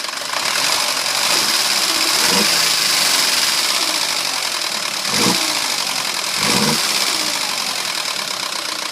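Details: 2009 Audi A4 2.0T, 82,000 miles, fresh 5W-30 oil change: light uneven knock about three per second at idle, loudest by the PCV; dealer found metal flakes around cam lobes, recommended a new engine; sluggish from a stop.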